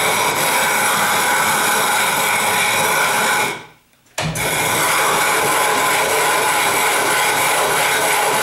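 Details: 12.5-inch telescope mirror hogging with sub-diameter tool on spin/fixed-post machine toward ~0.156 in depth: loud even gritty rasp, brief pause as fresh grit is added, then strong scraping resumes; normal glass removal.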